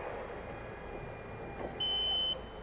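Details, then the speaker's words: Doosan B20T-7 three-wheel electric counterbalance forklift; forks tilted fully forward and raised above free lift trigger the stability (GSS) alarm, a steady high-pitched tone over quiet hum. Hydraulics are not shut off; tilting back within two degrees silences it. "sounds an alarm you notice it doesn't shut off the hydraulics it just sounds an alarm because it's warning the operator that you're be careful you're in an unsafe condition"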